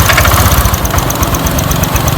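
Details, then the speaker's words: First-generation Honda Click 125i with an unopened original engine and milky, water-contaminated oil, after a battery replacement. A fast, steady metallic clatter of about ten beats a second rides over the idle. A water pump shaft bearing or poor lubrication is suspected; adding oil quietened it. "อาจจะเป็นเพราะลูกปืนรึเปล่าปืนแกนปั๊มน้ำหรือเปล่าหรือว่าอ่าเพราะน้ำมันเครื่องไม่หล่อลื่น"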